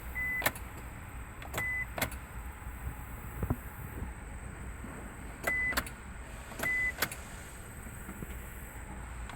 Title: 99 Isuzu Rodeo Won't Start or Crank